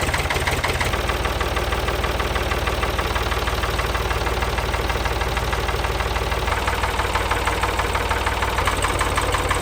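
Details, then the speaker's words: 1973 Ford 3000 diesel tractor, abandoned over a year, cutting a field under load: after a couple of laps a rough knock about three per second started and power was lost. Root cause unknown. "I did a couple of laps in the tractor and the knocking started and we lost power"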